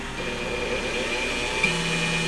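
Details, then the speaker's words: Dremel tool running on a repaired Coleman Powermate 800 W inverter after a switch replacement: steady high whine spins up and holds an even pitch with no stutter; works despite no LEDs lit, and the dirty fan's bearings are suspect; normal running. "so I've got that plugged in the inverter's powered up and we'll switch the Dremel tool on you'll be able to hear it"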